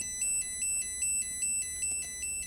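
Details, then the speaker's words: STM32 drone flight controller (MH-FC V2.2) after ESC calibration entered via FS-i6 switch C down: bright chirping beeps repeat about every 0.4 seconds; buzzer waiting for switch C raised before entering normal mode. "캘리브레이션이 끝났고 지금 이런 비품이 계속 반복적으로 울리면서 이 스위치 C를 위로 올릴 때까지 대기하고 있는 상태입니다."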